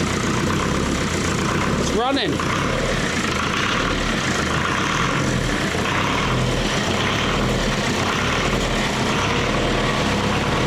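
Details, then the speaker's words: Leyland 154 tractor diesel, first start after restoration with glow plugs, new starter motor and pump timing set on mark: steady, even idle near 1,200 rpm with good oil pressure, no knocks or misses; diesel pump still leaking. "Great oil pressure running at about 1,200 RPM. Oh, she sounds good."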